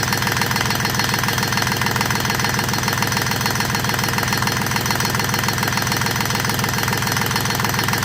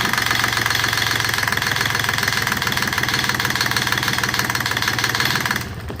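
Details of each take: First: Rebuilt Yanmar 3GM30F three-cylinder marine diesel, first run in years, idle set about 850 rpm with good oil pressure: low, even idle with steady regular clatter, then shutdown; normal idle. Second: Rebuilt Yanmar 3GM30F diesel on first start in years: the small diesel clatters at a slow, uneven idle and fades out, idle set too low to run on its own and needing adjustment.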